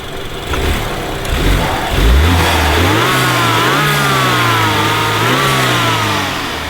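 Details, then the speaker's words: BMW F30 328i after new ignition coils and spark plugs: uneven, shaky running at idle with blow-by that smooths into a clean rise as revs climb; low-rpm misfire, a blown engine and injector suspected after long driving while misfiring. "but then it has the blow by and it has like a you can kind of tell it has like a misfire it's like shaking a little bit you can hear it clear up like when you go higher RPM"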